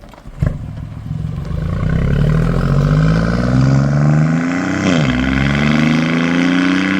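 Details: BMW i8 after exhaust repair (cracked/bad weld and burst flex bellows fixed): revving smoothly, clean rising note, much quieter, no booming, rattle or vibration; exhaust normal.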